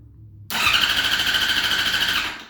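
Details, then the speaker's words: 2005 Yamaha R6 after a crash, sat about three months, new battery and spark plugs: starter whirs steadily with high even whine about two seconds but engine never fires; cranks but won't start, check engine light on, cause unknown. "This is the sound I'm getting. And that's a lot further than before. Before, it just made clicking noises and it wouldn't even crank. Now it just cranks and cranks and cranks, but it won't turn over."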